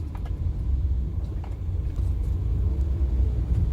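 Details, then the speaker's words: Used car test drive over a speed bump and rough road: only steady low road rumble, no clunks or metallic knocks; suspension sounds normal, no strange noises. "Ya, tadi kita udah ngelewatin jalan yang lumayan keriting dan halus, nggak ada suara yang aneh."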